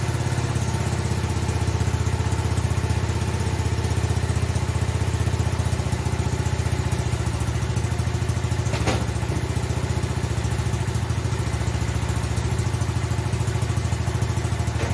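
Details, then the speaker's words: Kawasaki small single-cylinder engine idling with a steady but slightly uneven thumping beat; the intake manifold is loose and sucking air, with what looks like a broken-off bolt in the hole and the remaining bolt through the spacer too short. "Alright, so I was reaching down to add a little fuel to the idle air mix, and then I saw the manifold move, so I was able to turn it on one bolt and kind of get a look at the hole, and I was pretty sure I saw a broken off bolt in there, and the bolt that was in there just stuck through the spacer was too short."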